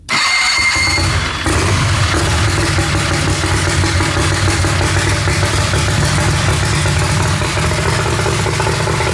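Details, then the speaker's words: Turbocharged Harbor Freight Predator 670 V-twin, newly fuel injected, first start: catches into lumpy, uneven idle with throbbing low beat; running rich, improved once fuel was reduced, needs leaner mixture. "I took some fuel out and it started to pick up, so it needs to be leaner."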